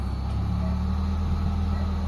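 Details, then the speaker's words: Mitsubishi Lancer GLXi 4G92 manual that had been dropping idle and stalling, cold start after the idle servo was cleaned and its socket replaced: a low, steady hum with no hunting; idle is now smooth. "So ayan na yung menor natin mga bossing oh. Oh, smooth na mga bossing."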